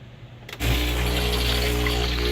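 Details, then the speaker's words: Starbucks Verismo (K-Fee) coffee machine that sat unused for years: after a button click the pump buzzes with a steady low drone but no water or coffee comes out the spout; later fixed by forcing water through the inlet. "but basically there's a problem where you hear the pump running but no no water or coffee he's coming out the spout"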